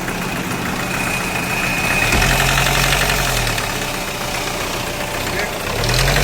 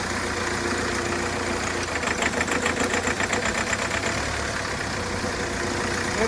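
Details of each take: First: Hyundai Creta diesel, knocking after an engine job and a timing tensioner replacement, with back compression, white smoke and a starting problem: hard, rhythmic clatter of about four knocks a second that swells with revs. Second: Hyundai Creta diesel that knocked and made white smoke after an engine job elsewhere, revved after timing was reset; revs up and settles with even clatter, no heavy knock, normal revving.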